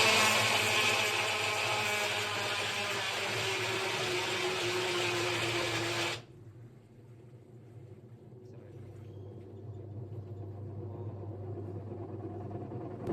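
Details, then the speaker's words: Whirlpool washing machine motor spins directly as soon as it is switched on: loud high whirring starts immediately and winds slightly down before cutting off; faulty PCB control board, with broken suspension also found, not a drum problem. "On ಮಾಡಿದ ತಕ್ಷಣ motor direct ಆಗಿ ಸುತ್ತಾ ಇದೆ sir ಈತರ ಬರ್ತಾ ಇರೋದು sound"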